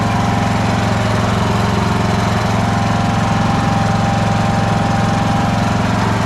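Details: Craftsman LT1000 riding mower after blade deck belt replacement (AYP 144959). Even, steady single-cylinder chug at about 220 beats a minute with a smooth deck hum, no slap or squeal; runs healthy.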